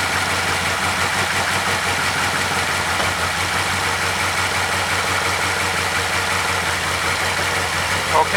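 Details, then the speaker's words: 2012 Chevy Caprice PPV 6.0 V8 after repairing damaged camshaft position sensor wires (codes P0340, P0341, startup issues): engine catches and settles into a steady even idle with no misfire or knocking; sounds healthy. "start it up and it's running fine"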